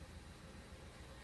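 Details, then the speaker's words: Suzuki Karimun (boxy model), carburetor recently disassembled, which made idle rise with the headlights on. After the idle and air settings were readjusted, it holds a quiet, steady idle of about 800 rpm with the lights on, no hunting. Normal idle. "Nah sudah masih stabil di angka 800 Bro 800 Ia memang untuk standar stasioner RPM buat Suzuki Karimun kotak ada yang 800 ada yang 700"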